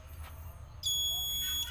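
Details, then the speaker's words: Washing machine control module tested with a known-good regulator: one long unbroken beep after pressing power, buttons unresponsive; fault traced to an open 330k 2W regulator resistor plus damaged AC-detect and inlet-solenoid SMD transistors. "terdengar bunyi beep sama saja suaranya bunyi beep panjang"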